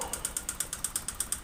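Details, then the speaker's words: Vario 125 (K59) fuel-injected scooter, never serviced, oil never checked, white exhaust smoke: sharp even tick about seven a second persists with CVT rollers removed; internal engine rattle, likely piston looseness, possibly cam chain adjustment, unconfirmed. "utuh kasar seperti ini ya ini berarti fix yang bermasalah di bagian mesin tengahnya bisa dari sehernya atau pistonnya bisa juga dari setelan rantai kampretnya yang bermasalah atau untuk rantai apinya"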